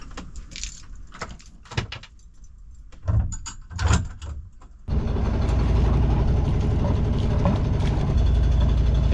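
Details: Sailboat diesel after water-in-fuel problem, fuel replaced and oil topped up, run in neutral without load: after clatter and knocks it catches and settles into a steady, even low thrum, no misses; healthy idle.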